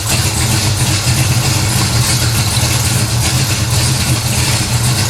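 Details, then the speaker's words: 1970 Pontiac LeMans, mildly warmed-over 455 V8, about 1,000 miles on the oil, before first dyno runs: deep, even burble settling into a steady idle, no knocks, misses or surging, while checking fluid levels; healthy. "first off let's fire this thing up see where we are fluid level wise so"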